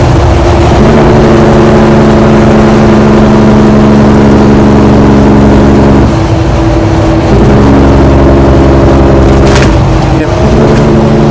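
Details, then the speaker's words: Tuned pre-DEF Kenworth T660, probably 2009, with Cummins ISX diesel: deep steady rumble with even firing beat, holding revs then dipping briefly; normal healthy running. "Absolutely amazing. It had the traditional, it had a Cummins ISX, and it had that amazing tone to it. I loved how, it wasn't a very pretty truck, but damn it, did it sound good."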